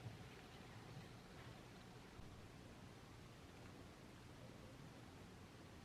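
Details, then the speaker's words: BMW M340i cabin on the road after a dash rattle was fixed with small pieces of soft velcro tape on dash parts; only a soft road hush, with no ticks or buzzing. No dash rattle. "it's fixed let's go thank God all righty guys so hopefully you could see from that video the problem is now fixed"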